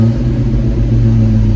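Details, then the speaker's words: Fox-body Mustang on Holley Terminator X EFI, idle target raised from 800 to 2,000 rpm in software, settles about 1,800 rpm: smooth, even, steady raised idle with no hunting or stumbling; idle air control working normally. "And it's doing exactly what it should. It's not getting quite to 2,000. It's about 1,800."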